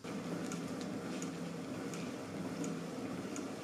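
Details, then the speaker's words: Exercise bike after loosening housing screws near column and seat to cure creaking: low, even flywheel hum with only a faint light tick about every 0.7 seconds; runs quietly, much improved over before. "uważam że Robert naprawdę działa bardzo cicho tam słychać jakieś delikatne czapki ale w porównaniu do tego co było wcześniej naprawdę jest rewelacyjnie"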